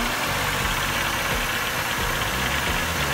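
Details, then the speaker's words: Ex-fleet car, cold start with a borrowed battery; rough cold idle with irregular hollow knocking that quiets as it warms: owner suspects carbon knock or piston slap, possibly pulley. "Sounds healthy. That's just carbon knock, it's not a knock knock. Okay."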